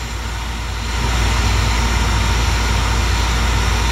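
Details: York gas furnace, after fitting a White-Rodgers All-Spark universal ignition module: steady low hum building to an even, constant drone with no rattle or wobble as the inducer fan runs normally through pre-purge before sparking and lighting.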